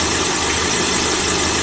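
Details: Continuous thin hissy squeak over a steady car engine idle with no change in speed; squeal at idle, cause unknown.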